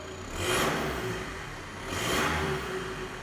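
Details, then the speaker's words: Mini Cooper SD with B47 diesel, LSD and stainless DPF/cat-delete downpipe fitted, started cold with a little smoke: two quick blips rise and fall cleanly, smooth exhaust note, no knock or rattle; slightly noisier inside the car. Normal revving. "so yeah it's a little bit noisier in the car you can definitely eat it more"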